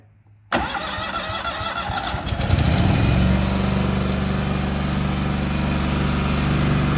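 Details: Walker mower brought in for backfiring through the carburetor, started with a little choke: cranks briefly, catches and climbs to a fast, steady idle with no popping or backfiring; sounds healthy.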